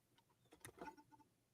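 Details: Cleaned external floppy drive connected to an Apple II Plus, booting a disk: quiet whir with a few soft clicks as the motor spins up and the head settles; the drive starts and works normally.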